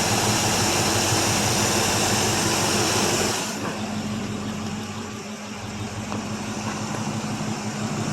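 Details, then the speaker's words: 1984 Chevrolet Suburban, carbureted, after sitting about three years, after revving with a little smoke on let-off and mouse nest from the exhaust. A loud, steady, even idle that settles lower with no misses or knocks; normal idle. "well the old carburetor seems to not work too bad yeah she runs real"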